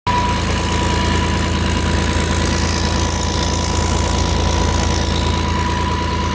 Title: starboard engine exhaust leak between head and turbo